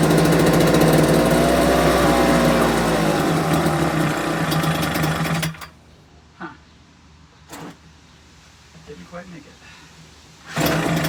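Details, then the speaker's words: Homelite UT08572 small two-stroke, not yet warmed up: slow uneven idle for about five seconds, then cuts out abruptly; idle set too low so it stalls, owner might adjust idle screw. "Actually like the idle's a little bit too low. Okay, that's a two minute mark. But fact that died on its own is not a great sign."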